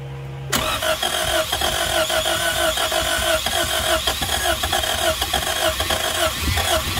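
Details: 1999 Honda Civic DX (EK) just after a new timing belt and tensioner. Once cranked, it catches, then runs unevenly with a wavering, stumbling beat, barely staying alive. The rough idle is attributed to a bad idle air control valve (IAC).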